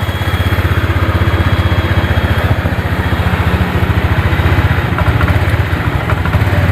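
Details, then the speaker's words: Honda Vario 125 scooter that died while riding, weak battery, kick-started: single-cylinder idle with uneven, lumpy beat and dips as if about to stall; rough idle, owner suspects delayed fuel, fuel pump pressure to be checked. "tapi kayaknya mau mati nih nih ngadat-ngadat nih ya seperti minyaknya tu nelat suaranya ngadet-ngadet kan"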